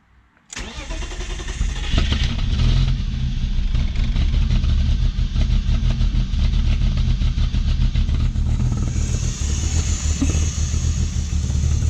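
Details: Engine-swapped BMW E30 hard to start cold: slow catch after cranking, then unstable lumpy idle with irregular pops and stumbles; owner hears an air leak and suspects it, spark plugs black, smoke near plugs at start, runs fine once warm.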